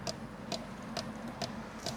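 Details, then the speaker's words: 1997 Mercedes S500 coupe cabin: sharp, regular, evenly spaced clicks about twice a second from the side mirror motor or its gears; cause unknown. "This is still making weird sounds."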